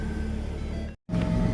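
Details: 2010 Ford Fusion after a customer-requested alternator replacement done without diagnosis, started on test wiring: steady low engine hum with radio playing and a brief dropout; engine starts and runs evenly, though it still needs a battery.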